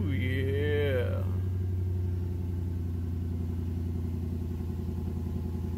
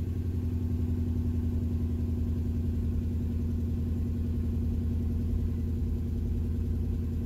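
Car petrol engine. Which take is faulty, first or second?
second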